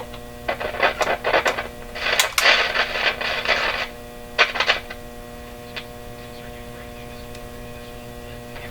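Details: RCA Victor Model 911KG radio during motor-driven tuning system checks, no antenna connected: a steady, low, droning hum under bursts of programme sound, not wavering. Strong mains hum, source not yet traced.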